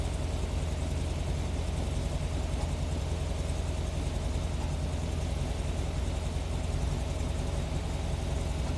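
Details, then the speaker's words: 1971 VW Squareback chromoly flat-four, cold start: lumpy, uneven idle with occasional pops heard through the carburetor; owner unsure, suspects valve lash might need a little gap. "popping I don't know might be in the valves might be too right now"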